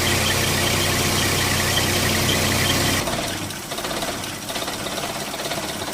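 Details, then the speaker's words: 1995 Holden Rodeo 2.6 four-cylinder, 445,000 km, after air-filter housing/MAF gasket work: a lumpy, loping idle at about three pulses a second, a stumbling 'rump rump'. Touching a part inside the air-filter housing changed it; the MAF is problematic. "You can probably hear it a little bit, the stumbling engine. Sort of a rump, rump, rump."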